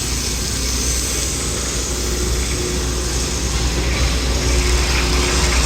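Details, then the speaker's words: Rebuilt Kelly Duplex 3-ton horizontal paddle mixer, heard from the ground in a working shop with sheet-metal cutting nearby: steady low hum, no scraping or rubbing of the bottom, which is in excellent condition; running normally. "And we can hear that there is no scraping or rubbing of the bottom. The bottom is in excellent condition"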